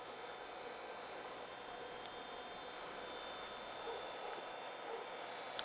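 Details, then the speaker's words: Old Gateway desktop PC powered up with the hard drive attached and hanging loose: steady power supply fan hiss with a faint thin whine from the hard drive spinning, plus floppy drive seeking, all normal; screen shows "operating system not found". "and that's the hard drive that's if you hear that little whining sound that's the hard drive running that's the floppy Drive seeking that's normal"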